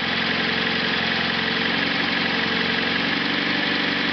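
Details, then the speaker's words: Engine idling on rich gasoline vapor from the carburetor enhancer, with a 3/8 in air bleed into the intake manifold to lean the mixture: steady, even low rumble with no knock or miss; smooth idle. "now in order to idle the engine on the vapers from the uh carb at enhancer I actually have to have a 3/8 in air bleed going into the intake manifold to provide enough air to lean the mixture out these vapers are that rich"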